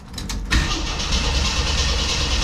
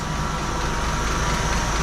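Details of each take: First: 1981 Jeep CJ7 with newly replaced carburetor, first start after sitting a few weeks: cranks briefly, catches, then lumpy wavering idle that never smooths; owner suspects multiple vacuum leaks or idle jet screws needing adjustment. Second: 1981 Jeep CJ7 with new carburetor, started after a few days with choke opened: smooth, quiet low idle about 600 rpm with no stumble, hiss or ticking; carb still needs tuning.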